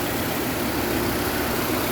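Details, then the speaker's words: 2007-2012 Nissan Altima after replacing the upper exhaust manifold catalytic converter assembly and gaskets: steady, even idle with no ticking or puffing; earlier exhaust leak gone, normal idle. "leak no more hearing that exhaust leak everything sounds good"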